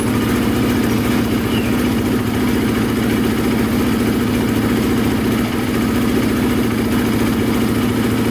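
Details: Polaris Predator 500 quad, single cylinder, repaired after wrong timing and a snapped Woodruff flywheel key: steady, even thumping with no heavy knock, flywheel key intact; pipe burning off residue; running normally.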